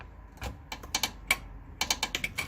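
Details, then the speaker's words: 2016 Toyota Corolla, 73,000 miles, passenger-side front lower control arm worked by hand with the ball joint disconnected: dry, sharp irregular creaks from the rear bushing, also heard over bumps and driveways; fix is greasing the bushings. "that creaking noise is exactly what I'm hearing it's coming from right inside there"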